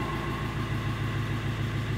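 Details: Fiat Ducato 2.3 diesel running again after a no-start traced to the immobilizer code box/key antenna: steady, even idle with a low, regular throb and no knocks or misses; a healthy idle.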